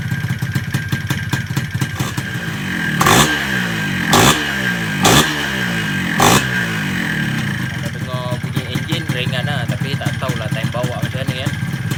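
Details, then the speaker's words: Yamaha 125Z two-stroke motorcycle with 1mm jet, first start with exhaust fitted: harsh clattery running with a few sharp revs; extra noise because the top cover is off. "Sekarang korang dengar bunyi tu kan. Kan bising kan. Okay, korang tengok nanti lepas aku pakai penutup atas ni."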